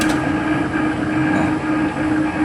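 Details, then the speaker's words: Bottom-load gallon water dispenser that was not cooling, after repair of the cooling system with the fan refitted: steady low hum and a smooth airy whir with no rattle or scrape; the cooling fan is spinning normally. "kipas sudah berputar. Kipas sudah berputar, Teman-teman, ya."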